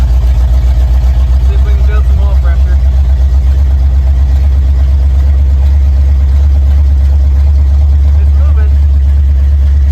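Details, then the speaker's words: Mildly built 351 Windsor (small cam, roller rockers, gear-drive timing) in 1980 Ford F-150: deep even idle rumble, strong steady beat, no stumbles; healthy. "I mess with my timing a little bit it's sounding a lot better now yeah she's Rowdy good oil pressure"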